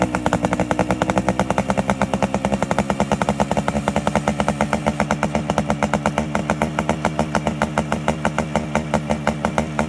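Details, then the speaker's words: Yamaha RX135 two-stroke, warmed up, carburetor air screw fully tightened and then adjusted to set idle RPM: crisp, even popping at about eight beats a second with steady pitch and no hunting, a clean tuned idle. "ಒಂದು RPM set ಆಗುತ್ತೆ, RPM ಅಲ್ಲಿ perfect ಆಗಿ tuning ಸಿಗುತ್ತೆ."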